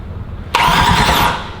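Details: Truck being finished for Power Tour, first start attempt before oil added and possibly without spark plugs: starter spins the engine over freely with a steady whirring drone for about a second, nothing catches; cranks, no start.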